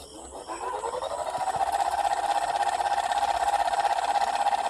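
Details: Ceiling fan running up to speed, hum with soft regular tick about three times a second and light khat-khat noise; loose bearing in its housing knocking, to be fixed with Fevi Kwik glue instead of replacing the bearing.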